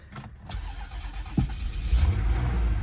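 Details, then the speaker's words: Toyota at Copart auction yard listed as a no-start: brief cranking, catches sharply about 1.5 seconds in and settles straight to smooth even idle; started right up, normal start. "Guys, it started right up. It's listed as a no start."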